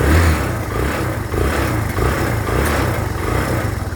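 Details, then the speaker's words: Kawasaki Barako 2 after repairs for an intermittent noise and poor pulling: steady, even single-cylinder idle with a smooth low beat and no knocks or ticks; the noise is now gone. "Okay na ang motor ni kuya Noy. Ayan. Yan. Natahimik na."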